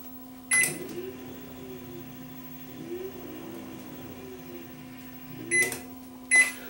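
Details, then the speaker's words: Panasonic inverter microwave with magnetron connected, no fuse, input limited to 100 W by current limiter: steady low electrical hum under a few beeps and clicks as the inverter drives the magnetron and the oven runs. "let's just see whether this thing will try to fire up the magnetron"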